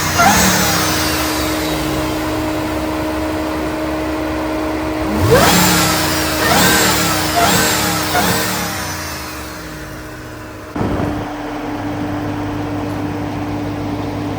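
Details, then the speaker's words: Stock Ram TRX, 702 hp supercharged Hellcat V8, heard at the front next to the engine; steady high supercharger whine over deep V8 idle, rising with each blip; normal supercharger whine. "now if you can even hear me over this supercharger this is a completely stock TRS and this is how loud it is guys"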